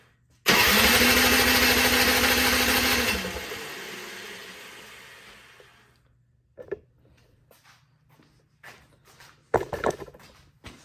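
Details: Honda HS520 single-stage snowblower with no past maintenance, cranked with the choke out, fuel on, key on and oil full. A few seconds of loud cranking rush fade without catching, then only clicks; won't start, fuel not reaching the carb.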